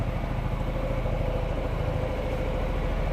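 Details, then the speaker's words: Yamaha X-MAX scooter after a fuel system service for a rusted tank, with the fuel pump regulator and filter replaced: after a hesitant start it settles into a steady, even idle with no misses. It is running normally. "Oke, hidup ya motornya."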